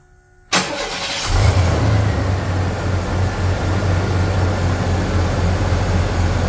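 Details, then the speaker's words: 1993 Chevy Blazer after an engine reinstall, a fixed missing spark harness plug and ignition timed to the mark: it cranks, catches in about a second and settles into a steady, even, low-rumbling idle, smoother than before; normal idle. "um and when I timed it to the timing mark wasn't doing this crap anymore like it used to so that's really sweet um it just sounds like the engine's way happier"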